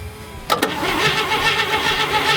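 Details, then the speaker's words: Roughly 70-year-old barn-find car being brought back to life: steady, even cranking rhythm that never catches or fires. No spark because the ignition coil was not reconnected. "All right, we have no spark because I did not reconnect the coil."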